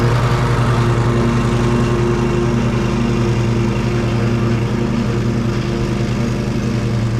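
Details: Exmark Pioneer zero-turn mower after service and deck belt reinstallation: steady, even engine drone, no belt squeal or pulley chirp; belt stayed on, pulleys quiet and not warm. Normal running.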